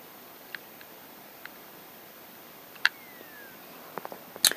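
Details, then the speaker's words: 1st-generation 30GB Zune on charger cable, logo and progress bar show, faint ticks and clicks from the hard drive trying to spin up, then it restarts over and over; boot loop from worn original battery, fixed by battery replacement. "so the zoom logo comes on the progress bar and you hear the clicking inside thinking it's going to turn on and this happens"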